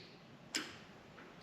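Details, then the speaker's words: 2005 Lexus GX470 LED light bar relay harness, connected to the battery and body ground, tested with the switch: two crisp clicks about a second apart as the relay engages cleanly and works properly. "it works great. You can actually hear the relay clicking."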